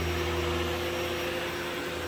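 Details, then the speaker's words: Shark PowerDetect vacuum in quiet mode on carpet, brush roll at full speed: steady even low motor hum with soft airy rush, no surging or rattle; normal quiet-mode running. "It's nice and quiet, but the brush roll still runs at full speed, so on carpets, this is actually quite a nice mode."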